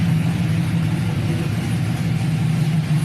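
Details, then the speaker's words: 1999-06 Chevrolet Silverado/GMC Sierra V8 after head gaskets, BTR Stage II truck cam, LS7 lifters, headers, single-in single-out Flowmaster, no check engine light: deep heavy slow uneven lope, no misses or knocks; normal cammed idle. "no check engine lights steady i don't know if you guys can hear it but we lopping we are loping"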